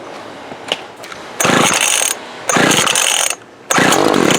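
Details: Older Craftsman 24cc 17-inch gas trimmer, circa 1998 or later, untested thrift-store find: small two-stroke catches and buzzes high and raspy in three short bursts, dropping out between; fuel leaking, suspected from dried, shrunken fuel line.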